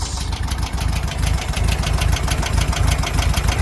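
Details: 1972 VW Beetle, parked about seven months, new battery, just started: fast, even light ticking about three a second over a lumpy air-cooled idle; tappets suspected to need adjusting and a full service, not confirmed.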